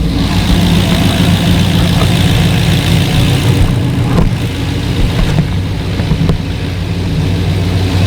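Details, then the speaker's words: Volvo 940 wagon with LS V8 swap, Holley Terminator X Max, fresh zinc oil, burning off dripped oil and probably brake cleaner: deep, even idle burble with a steady low rumble and no knocks, ticks or misses; normal idle. "we're burning a little bit of uh oil that we dripped and some uh probably brake cleaner off the engine but yeah she sounds good"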